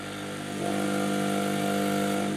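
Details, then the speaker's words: 852D+ SMD hot-air rework station: steady buzzing hum that grows louder as air speed is turned up; it uses a pump rather than a fan and is simply noisy. "i was expecting it to be more like a fan inside that puts air through the um through the nozzle but it seems more like it's a pump [Music] so so it's really quite noisy"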